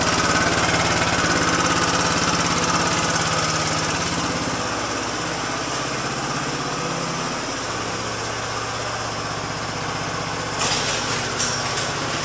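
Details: Yamaha Zuma BWs125 scooter just after installing a Leo Vince exhaust with header and O2 sensor reattached: quick, even single-cylinder putter settling from a rev into steady idle, raspier exhaust note, running cleanly; normal idle and revving.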